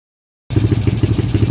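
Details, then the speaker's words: Honda XR200 200cc enduro with about 15,000 km, stored over 8 months not starting, revived by tuning without replacing parts: single-cylinder thumps with an even, quick beat and no stumbling, running cleanly and quietly with no leaks; normal running. "E wala pang katagas-tagas. Tahimik na tahimik pa."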